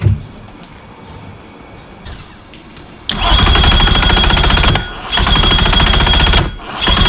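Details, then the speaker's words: 2005 Mercury Optimax 115 two-stroke outboard after PCM replacement: several loud, rough, chattering cranking bursts that never fire; cranks, no start, owner suspects a weak battery, fuel pressure still present. "And I think we gotta charge this battery up because I think she's lacking a little bit. I'll be thinking that this battery doesn't have enough juices."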